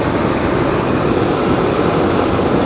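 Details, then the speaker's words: HVAC blower motor on a bench demo rig switched to high speed, drawing about 16–17 amps (about 6 and 10 amps on lower speeds): loud, steady air rush with even motor hum, no ticking, scraping or wobble; normal high-speed operation. "okay so we're at I would call this about 16 17 17 uh amps to run that blower motor on"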